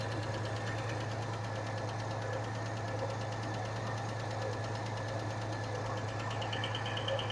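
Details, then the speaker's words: 1986 Chevy S-10 at idle with oil pressure over 70 psi: uneven idle with irregular knock and clatter in sync with a misfire; owner suspects a rocker fell off, not confirmed. "the misfire and that noise seemed to be oddly in sync sounds like a rocker I fell off makes sense"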